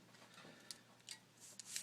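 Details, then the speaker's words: Old passenger-side hub assembly from a 1997 Jeep TJ Wrangler with 140,000 miles, turned by hand after removal. Quiet, irregular gritty crunching and popping as loose balls move inside. It had crunched and popped while driving: a worn wheel bearing. "you can kind of hear the crunching noise and that's the you see the it's starting to peel back you can actually kind of see the bearings in there and they're popping around like crazy"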